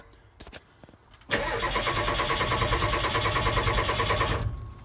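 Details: 7.3 IDI Ford diesel in a 1976 Ford truck after replacing the glow plug controller: about three seconds of steady rhythmic cranking that never fires; crank no-start from failed glow plugs.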